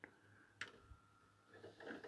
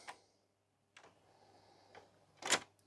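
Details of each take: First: 1989 Philips CD480 CD player whose tray won't open: a thin steady motor whir with scattered clicks while the tray labours before opening. The belt is suspected perished and appears to be driving but slipping. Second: 1989 Philips CD480 CD player whose tray wouldn't open, after the belt was cleaned with Rubber Renew: quiet clicks, brief motor whir and clean latch as the tray opens and closes; tray now works normally.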